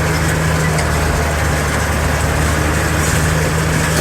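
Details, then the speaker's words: Tractor and baler after switch repair: banging noise traced to a faulty switch, now fixed; steady deep drone with smooth hum, slight vibration remains but no banging under load. Normal running. "switch works that was that was the culprit the noise in the veiler I still hear a little bit sounds more like a vibration now but it's not the banging like it"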